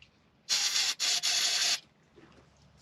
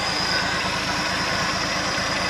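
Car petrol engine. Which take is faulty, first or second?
first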